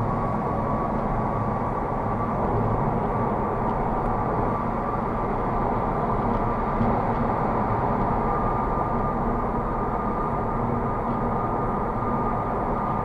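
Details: Honda Civic on low-profile Goodyear tires at highway speed, low-frequency road and wind noise filtered out: a piercing, constant high whine near 1 kHz that grows louder with speed, tire whine.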